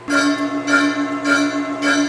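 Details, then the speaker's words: Lion lathe turning a flat belt pulley before setting up the taper attachment. Clear bell-like ringing pulses about every 0.6 seconds over the cut; the pulley is ringing like a bell from vibration and chatter. "It's ringing like a bell, and I knew it would do this."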